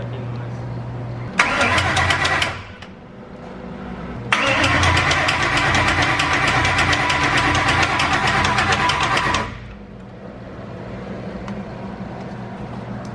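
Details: Ford 5.2L Coyote V8 swap, first cranking before coolant is added with new tune flashed: two cranking bursts with fast, even mechanical clicking over the starter drone, suspected timing chain tensioners rattling before oil pressure builds.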